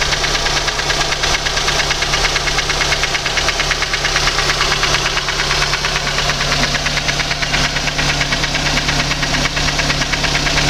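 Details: VAZ 2115 engine at idle with sharp metallic knocking, about two per second, sitting steadily above the engine noise; cause unknown. Engine knock.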